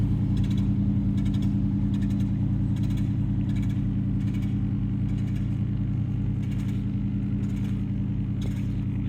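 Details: On-board air compressor in the toolbox of an off-road Ford F-150 on a 30 A fuse, about to top off tyres from about 30 psi: steady low drone with light even pumping pulses about three per second over the idling truck; normal running.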